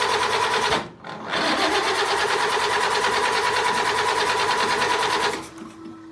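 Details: 1952 Land Rover classic, crank no start: even cranking about three turns a second for several seconds after the fuel pump primes, never fires; distributor replaced, light bulbs on every cylinder to check spark, carburetor rebuilt, new SU fuel pump, cause not found.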